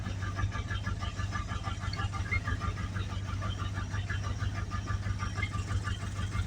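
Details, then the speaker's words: 1982 Dodge Ramcharger V8 being driven for parts harvesting: loud, regular knock about three times a second over the running engine; badly torn rod bearing, classic rod knock. "man you can hear that thing wrapping really loud well he really did tear rod bearing up but I'm just amazed it runs"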